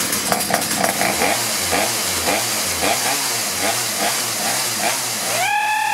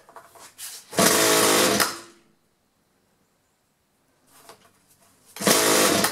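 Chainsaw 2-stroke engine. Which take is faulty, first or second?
second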